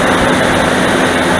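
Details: Dodge Dakota V8 first cold start, engine fully cooled (about 15°C indoors, -1°C outside), original viscous fan clutch before electric-fan swap: loud steady whooshing roar drowns the engine; fan clutch nearly locked, pulling air flat out.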